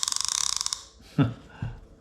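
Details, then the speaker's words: Daiwa Sealine Slosh X40 reel after service, clicker engaged: a crisp, even run of quick clicks followed by two soft thumps; the clicker works normally. "we put that clicker on don't we that's gonna be that's the noise we want"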